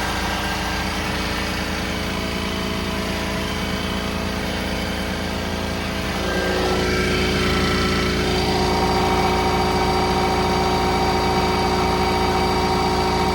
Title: Toyota Diesel under engine bay rattle noise #2